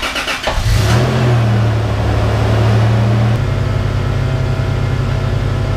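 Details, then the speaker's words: 1996 Toyota Tacoma on a test drive after rear wheel bearing replacement and brake bleeding: pulls away and cruises with a smooth, even engine drone and no growl or hum from the rear wheels; repair successful. "all right so the repair is a success test drive was good doing one more last test drive"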